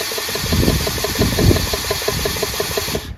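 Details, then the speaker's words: Briggs 14hp engine with a Synchro Balancer under rebuild, spun by a drill with the sump cover off: a fast, regular knock of about ten a second over the drill whine at high speed, from the unsupported crankshaft end wobbling. "So when I go at high speeds, you can hear a knock, right? That knock is really uh because this sump plate is not on. So this shaft is just wobbling like that."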